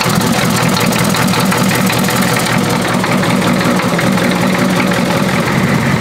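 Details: Diesel with glow plugs, started after reconnecting a loose glow plug wire, catches and settles into a steady, even idle with its usual light clatter and no misfire or hunting; runs normally.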